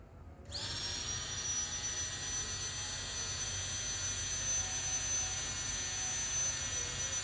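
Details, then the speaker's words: Rotax-type injection fuel pump run dry without load, about 1 ampere draw (loaded would be 1.5–2 A); sharp steady high whine comes straight up to speed and holds constant, running fine. "Tapi ini nyala tanpa beban ya, nyala tanpa beban, tanpa mengangkat cairan gitu ya."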